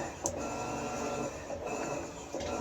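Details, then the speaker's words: Kenmore 110.20022013 top-load washer made by Whirlpool, being tested after a lid lock solenoid control board repair; steady motor hum with an even whir, no knocks, during a normal long agitate cycle. "so there's your long agitate"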